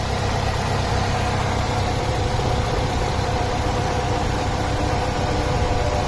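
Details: 2005 Saturn Ion 2.2L 5-speed after crank-no-start (new clutch, suspected jumped timing), now started with 14 volts at battery: steady low idle with even beat, no knocks; running smoothly.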